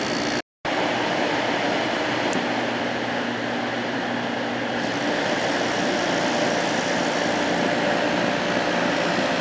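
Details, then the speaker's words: December 1995 Carrier VisionAire 6050 BTU 6 A window A/C: with fan off the front thermostat sensed cold and shut the compressor off, then restarted it when the fan came back on; sharp click and hum shift; compressor short cycling. "then when i put the fan back on running there uh the thermostat said okay fire it back up and of course that was short cycling the compressor"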